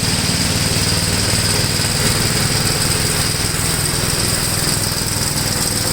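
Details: 1962 Gravely L/LI walk-behind tractor, single-cylinder, mowing a field after valve adjustment and carburetor tuning: steady, even putter at about four beats a second holding speed under load; runs acceptably.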